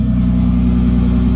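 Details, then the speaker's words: Turbo BMW 325i E36 on a Megasquirt map, oil cold, coolant at 43°, being revved: rough, uneven revs with the beat dropping out every few firings; big misfires from a badly set fuel map caused by the owner's own changes, not a mechanical fault. "Bon, le chant est complètement mal réglé, hein. J'ai regardé la FR, c'est pour ça qu'il y a des gros ratés. C'est à cause de ce que j'ai fait ici."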